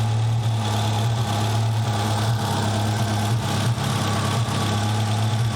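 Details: Nissan 200SX turbo idling with uneven dips and stumbles, a random misfire, with some smoke; a rattly sound like fan blades hitting the turbo housing was also noted; vacuum leak suspected but not found, cause not confirmed.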